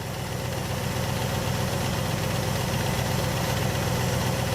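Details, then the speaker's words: 1967 Buick GS 340 V8 revival with a clean fuel system and filter: an even, steady idle with a low rumble and no misses or knocks. The engine runs nice and smooth. "yeah let me show you that was pretty good don't you yeah nice and smooth"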